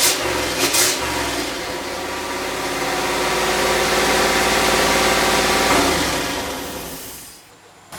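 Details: LS V8 turbo swap in a Miata kart, new MAP sensor rewired, tune unfinished and no proper injectors yet: fires and idles with steady lumpy beat, revs swell unevenly on blips and fall back; uneven throttle response, owner blames tune.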